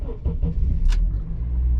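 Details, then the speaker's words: 2006 Honda Accord, repaired no-start, restart after clearing codes: a few cranking beats then clean catch into steady, even idle; normal start. "Okay, started up just fine."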